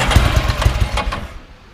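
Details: 1987 Ducati F1 750 motorcycle, cold start with battery charged: a few heavy uneven firing pulses sputter and die within two seconds; the bike is cold-blooded and the inside choke was not pulled, so it won't catch.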